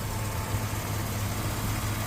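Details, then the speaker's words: 2004 Chevrolet Avalanche 4x4 V8 idling after water pump and hose replacement; coolant filled and holding with no visible leaks. Low, even, smooth steady rumble with no knocks, ticks or squeals; normal idle. "you can see how we got the engine running lighting's not that great it's dark out here Dark 30 um turn some light on that works so you can hear the engine"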